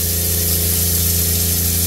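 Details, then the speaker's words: Newly fitted, more powerful water pump on a 1980s 36ft Springer narrowboat, with the cold tap opened. A steady, even electric hum with rushing water and no surging or rattling. Normal pump running. "that should have re-primed the pump if i now go and turn the tap on we'll check some water comes out"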